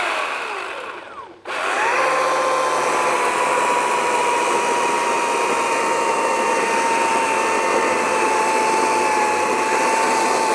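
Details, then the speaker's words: Ego 56V 20-inch battery chainsaw cutting wood: steady high whine under cutting load sags in pitch as the battery runs flat, then shuts off; battery flashing red afterwards. "So I could hear the battery starting to drop down really quick right here on the end. And then right as it was starting to die, you could hear it coming down, and then it just shut off."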